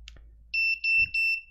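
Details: FPV quadcopter on freshly flashed Betaflight 4.0, with a newly fitted replacement beeper: three loud, steady high-pitched beeps of about a quarter second each in a quiet room; the buzzer works normally.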